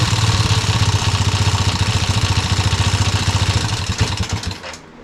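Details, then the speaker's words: Yamaha restoration engine idling with brand-new carburetor just installed: thumping at about three and a half beats a second, uneven, fading out as it stalls; rough idle, carb needs tuning. "going to have to find sh in that carb a little bit idle and kind of iy but it's [Music] running"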